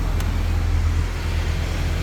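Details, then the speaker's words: 2010 Hyundai Sonata with a no-start, fixed by a new fuel pump, now starts and idles with a steady, even low rumble, no stumbles or dropouts, over loud shop fan noise; normal idle after repair. "Yeah, I know you guys ain't hearing that. The car is running. Nice. Sweet."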